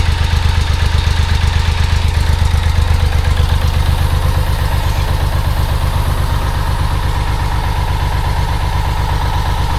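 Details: 1995 BMW K75RT after sitting 8–9 years, before repair: uneven, lumpy loping idle around two beats a second that keeps stumbling, unhappy at low rpm; sounds like not firing on every cylinder, cracked Z intake pipe suspected; rough idle.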